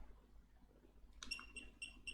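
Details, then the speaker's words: BornDent dental blue curing light, after a no-power fault thought to be a deeply discharged battery or charging IC: short high buzzer chirps about four per second on switch-on; buzzer working normally. "And yes, this is actually a buzzer. I can hear it, and I can, as you can see, so that is the buzzer. So it is working"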